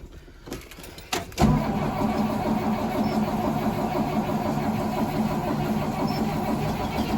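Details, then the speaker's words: 2003 Blue Bird 3800 bus with a DT466E diesel, cold start at 11°F, not plugged in, last run about a week earlier, on starting fluid: steady cranking with uneven firing pulses that never catch; nearly starts but fails to start. "almost looks like we're going to have to give her another little snort here we almost had her"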